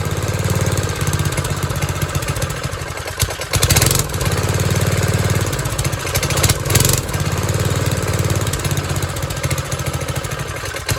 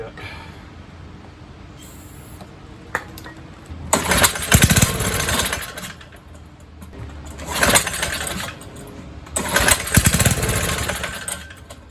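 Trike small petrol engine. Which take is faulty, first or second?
second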